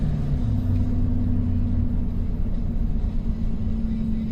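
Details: 2008 Chevrolet Silverado 2500HD 6.6L diesel 4x4, 300,000 miles, vibration complaint between 60-70 mph: steady low road rumble at highway speed, no rhythmic clunk or beat; driveline smooth and healthy, tire noise varies with road surface.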